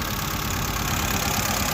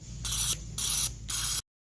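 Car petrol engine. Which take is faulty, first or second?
first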